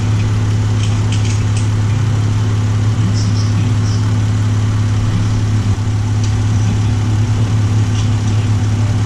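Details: 2012 Chrysler minivan idling after temporary bypass of bad TIPM fuel pump relay, fuel pump powered full time: smooth, even idle with steady low hum, no misses, knocks or surging; healthy.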